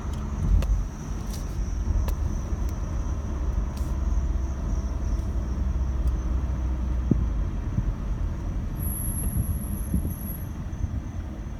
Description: Rear brake squeal when braking from 20mph to a stop on a 2017 Mazda CX-5 with only 6200 miles.